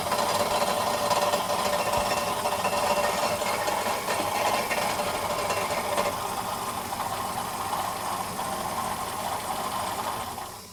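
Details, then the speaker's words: 2011 Ford Fiesta 1.25 Mk VI heard from underneath at idle while the clutch is pressed and released: a light, uneven metallic rattle and hit, worse with the clutch disengaged. The fault is inside the bell housing, needing gearbox removal and clutch replacement. "So it is something within the box when you engage and disengage the clutch. So I'm afraid this is going to be a gearbox out job."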